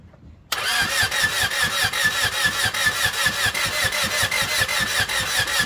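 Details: Honda D16Y7 engine on its first cold start attempt after the build: steady rhythmic starter cranking at about two and a half beats per second with no firing at all; crank, no start, no spark.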